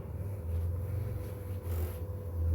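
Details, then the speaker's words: PlayStation 2 SCPH-30001 with a Gran Turismo disc inserted: a low steady buzz that swells and fades as the drive tries to read, then a disc read error; owner suspects a bad laser with focusing issues. "yep that buzzing sound sounds like a bad flag"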